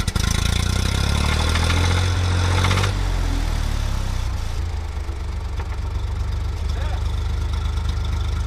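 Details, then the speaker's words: Massey Ferguson tractor after Zenith carburetor repair, rough idle after start-up: uneven tapping knock that comes and goes; owner suspects rod knock but is unsure because it is sometimes silent. "I don't know if you guys can hear that knocking or not but that's the most concerning thing currently is what the heck is that is that rod knock"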